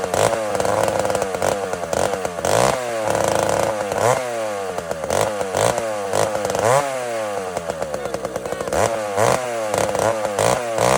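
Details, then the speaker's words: Chainsaw started cold without choke, smoking: revs lazily and unevenly with pitch sagging and surging until throttle is cracked, then picks up crisper; cold engine bogging until warmed up. "listen to this saw it's smoking it's kind of bla until it till it till it cracks the throttle and it finally goes WAP WAP you'll hear it"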